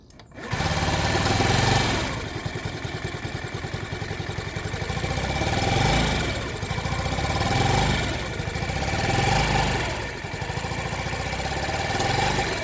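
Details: Honda Ruckus, completely stock engine, new fuel pump (aftermarket replica), started with starter fluid: idle ragged and hunting up and down without throttle input, only stays running at half to full throttle; rough surging idle, fixed by new carburetor, was gummed up.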